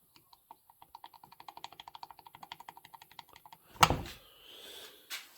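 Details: Ironhorse 266XP chainsaw that came in with problems, engine apart, rod rocked by hand: quick run of sharp, even clicks about eight a second from a loose wrist pin in the piston, wrist pin slop knock.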